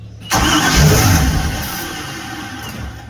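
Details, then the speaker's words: 1973 Holiday Mansion houseboat engine: the starter spins the engine over and it briefly catches on sprayed fuel, then dies without running on its own. It cranks but gets no fuel supply, so it's fuel starvation. "See, you're acting as my fuel. Yeah, so we're not getting fuel."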